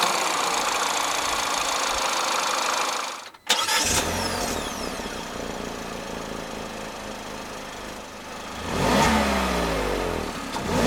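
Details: 2021 Peugeot 3008 1.6 THP Allure, 1.6 L EP6CDT turbo petrol (165 hp), 6-speed automatic: quiet smooth idle, then a clean quick rise in pitch and fall back as it's blipped, no knocks or rattles; healthy normal free revving.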